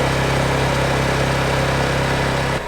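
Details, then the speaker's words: Honda EU2200i inverter generator with Hutch Mountain dual-fuel kit, onboard NuCamp Cirrus 920 truck camper, warmed up, charging batteries via inverter before eco mode: steady, even hum at constant speed, no surging or knocking; running normally. "it's warmed up, the inverter's starting to charge the batteries, and I'm gonna go switch it over to eco mode and it'll idle down."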